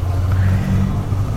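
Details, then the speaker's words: Honda CBR150 (new) after repair of hard starting and smoking: revs up cleanly and returns smoothly with no misses or rattles, no longer smoking, throttle response good; problem was caused by Dex getting in. "ternyata Ini juga udah gak ngebul ya gasnya juga udah mantap nih ternyata cuma gara-gara Dex anjir"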